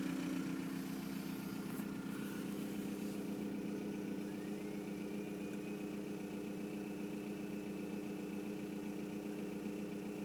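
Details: 1999 VW Golf Mk4 GT TDI (AHF) diesel idles with an uneven, lumpy beat and a faint rising whistle above the clatter, with a long start-up and loud turbo compression.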